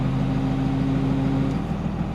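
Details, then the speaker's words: Cummins diesel truck after NV5600 manual transmission rebuild, idling before warm-up: steady low droning whine over the idle, fading slightly; power steering pump sounds bad, owner suspects a power steering leak starving it of fluid. "we might have a power steering leak but uh yeah I'm I'm just going to let this truck get up to temperature"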